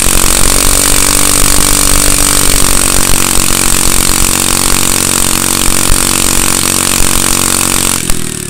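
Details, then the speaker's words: Manco go-kart with a small single-cylinder Honda engine, started without starting fluid or choke and smoking slightly, possibly from dirty fuel: steady fast even idle with no knocks or misses before cutting off; normal running. "all right sounds like it's working out pretty good"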